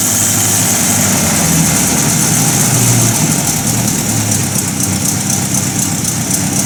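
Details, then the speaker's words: 1950 Buick Roadmaster old straight engine just converted from positive to negative ground, generator polarized; steady, even idle with a loud rough rumble, not running backwards, no misses or knocks; running normally. "we are running uh not running backwards not doing anything strange"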